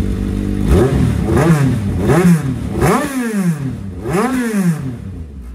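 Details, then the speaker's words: GSXR 1000 (1000 cc) powered dirt track dwarf car, after new spark plugs, cleaned injectors and a Brock's performance exhaust: four clean revving blips with a crisp, even exhaust note, no misfire or rattle; sounds healthy. "this thing sounds sick brother"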